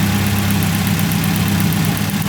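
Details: 30-year-old Nissan 240SX at idle with an uneven, lumpy pulse as one beat regularly drops out: a single cylinder is not firing. Spark is confirmed present with new wires and distributor, so old injectors are suspected but not confirmed.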